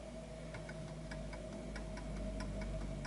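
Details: Antique Westminster chiming pendulum clock being leveled: crisp ticks about three a second with unequal spacing between tick and tock, so it is out of beat until its position is adjusted to the center of gravity.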